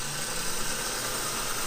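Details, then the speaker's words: Opel Astra GSi Z20LET starter motor tested on the bench: steady, even whirring spin, the pinion slides out to engage, no grinding or stutter; starter working normally. "you go so you can see their weapons it slides that engages on the flywheel when it obviously turns the flywheel so that one's working"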